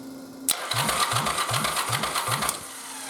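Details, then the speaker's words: Yamaha Virago 920 engine converted to xv1000 starter system, ignition disabled, cranking: even bop-bop about four beats a second, no grinding; Bendix wiggles, gear stays engaged but kicks back on each compression. "It still goes bop bop bop when you try to start. But this little guy right here is not letting those gears disengage. So it doesn't grind out."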